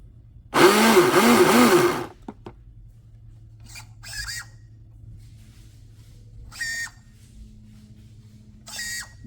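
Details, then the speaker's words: Traxxas Blast RC boat, speed controller showing no light: steering servo gives a harsh whirring buzz as it swings, then faint chirps; servo is noisy. "so I'm not getting any light from the speed controller it does turn even though it sounds terrible"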